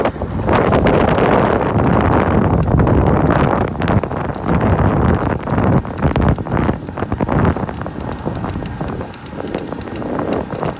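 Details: 2017 Cannondale CAAD12 105 road bike ridden: sharp dry creaks and clicks roughly once a second while pedaling, over wind and tyre noise; source not identified.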